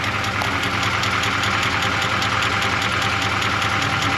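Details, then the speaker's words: 1985 Suburban K20 V8 warm at idle: sharp, fairly quick tick over a steady hum; source untraced, owner fears internal but suspects an exhaust leak or the exhaust touching something, unconfirmed. "still sounds like I got a tick over here really really hoping that's not pump it inside the motor there we go now it's warmed up I only a bit lower definitely hear a wicked ticking though"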